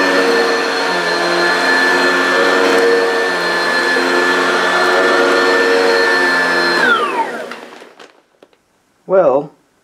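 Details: Upright vacuum (American-made, Kirby, Oreck, Hoover or Maytag) on dense carpet: loud steady motor whine at even pitch with brush humming underneath, then smooth spin-down; very noisy but did a good job. Normal running.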